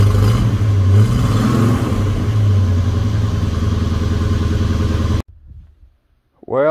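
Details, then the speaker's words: 1971 Dodge Coronet police car, 4-barrel 383 big-block V8, after sitting since the early 1990s, new plugs, wires and oil: steady, even idle, no knocks or misses, then shut off; "purrs like a kitten". Normal idle. "I sure can't be any happier at this point the thing purrs like a kitten"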